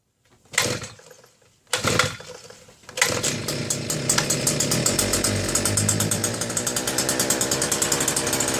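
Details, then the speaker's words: Southland two-stroke post hole auger; borescope showed debris on top of the cylinder and a possibly scored wall. Two pulls, then ragged buzzy running only on fuel put directly into the cylinder; carburetor not delivering fuel. "So, despite my best efforts to keep this from turning into yet another carb cleaning video, I believe that is the juncture where we are."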